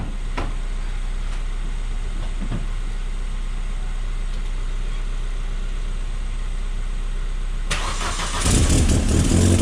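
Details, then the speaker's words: Astra H VXR (K04 turbo, billet hybrid core replaced) starting and idling, then a loud hissing chuff near the end as the downpipe clamp blows exhaust, as the owner expected; re-fitting the clamp stopped it. "i'm i'm pretty convinced that's going to uh blow so i've never been i've never once put that one the first time"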